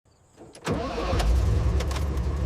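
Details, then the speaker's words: 1970 Toyota FJ40, rewired: after a click, the starter cranks steadily but the engine never fires. The failed ignition switch drops distributor voltage; the fix is a momentary-button workaround. "this ever happened to you? Turns but won't start?"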